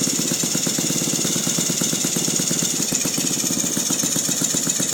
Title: Saito FG-36 with a strange noise